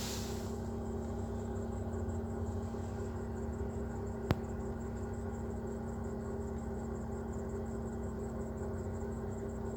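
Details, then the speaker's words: Chery Amulet at idle, noise from the right side of the engine: a steady dry, raspy metal-on-metal scraping with slight whistling over the engine hum; alternator bearings replaced first without effect; worn A/C compressor clutch bearing. "слушайте такой появился шум залоге как будто что-то какой-то металл по сухому как 3 и немножко посвистывание нас есть это за ролик или ремень как шум такой стоит сухой сухой"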